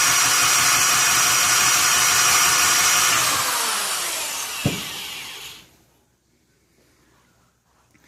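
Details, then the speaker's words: 1971 Honda CT70 Trail barn find, first run after restoring spark: small single buzzes at a steady rev, sags over a couple of seconds and cuts out with a pop; stalls after brief running, fuel supply suspected, carburetor needs going through. "That's unfortunate. I knew we'd have to go through the carburetor. I just wanted to hear it run for a while."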